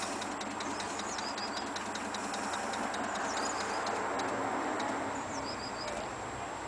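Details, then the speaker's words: Model A hot rod with a 276 cubic inch flathead, parked 18 months, ignition on with engine off: the electric fuel pump ticks lightly and quickly while priming the carburettors, then stops once they are primed; normal. "so when I when I switch this here can you hear it ticking so that's priming the carbs"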